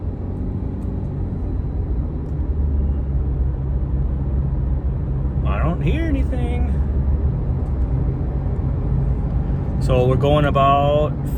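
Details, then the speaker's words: 2018 Subaru Crosstrek at 55 mph after replacing the rusted rear wheel bearing: only even tyre rumble, no droning hum from the rear, which had been heard above about 40 mph before; normal road noise. "55 doesn't sound like that hums there anymore there's the back see if you can hear it I don't hear anything"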